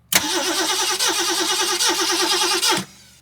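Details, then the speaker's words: 1969 Ford Mustang, 59K miles, sat 30+ years: steady cranking with even compression pulses but it never fires. No spark after the points gap was reset from about 30 to 21 thousandths. "Well, we're getting no spark now. We went backwards. I don't know what's going on with it."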